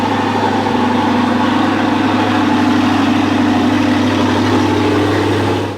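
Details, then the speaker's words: 2012 Audi R8 V8 after three days sitting, in garage, just after AC compressor replacement, fluids topped off: steady, even idle with smooth low burble, no knocks or ticks; normal cold start idle. "but here's a three day cold startup in the garage"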